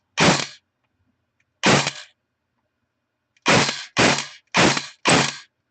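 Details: Airsoft AEG after bearing failure and stripped gear set repair, motor height adjusted after backing off from too deep: six crisp, clean shots in short single bursts, no motor whine between them, gearbox cycling properly.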